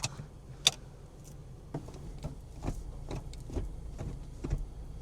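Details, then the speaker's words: Toyota GR86 with 17,000 miles, city driving: irregular sharp clicks and creaks over road rumble, an interior rattle with an unclear source. The steering wheel squeaks, but the owner found the noise isn't from the steering. "Wait, why does it Yo, what is that sound? That's what I mean by this car just doesn't feel it feels cheap. Why does it Why does it sound like that?"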